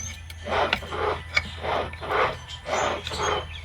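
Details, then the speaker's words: Audi B8.5 S4 project car, steering rack removed, joint rocked by hand: gritty dry crunch repeats about once a second; boot had a homemade repair; owner needs tie rod ends. Worn tie rod end. "Absolute crunch. versus that Luckily, all I need is a tie rod ends."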